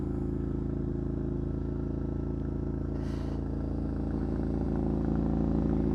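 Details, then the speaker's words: Triumph Scrambler 900 twin with choke engaged, already fairly warm from riding: an even, steady beat held at raised revs, smooth and unchanging; normal fast idle for cold-start warm-up. "so as you can hear the bike is revving quite high as you"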